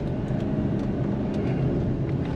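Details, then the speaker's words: 2015 Chevy Silverado 3500HD Duramax LML diesel, original CP4 pump failed at 118k miles, after CP3 conversion and fuel system replacement: deep, strong even pull with no misses or rattles, no codes; normal acceleration. "but thing sounds good started up perfect this morning no codes have came back or no codes have actually even populated"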